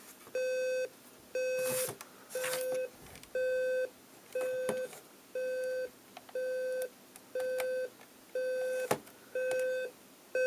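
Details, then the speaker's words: General Electric 7-4809A clock radio, alarm triggered by the nap timer: clean mid-pitched half-second beeps repeating once a second in a quiet room; the volume control has no effect. Normal alarm beep. "okay it actually turns on the alarm so I guess there's our alarm demonstration"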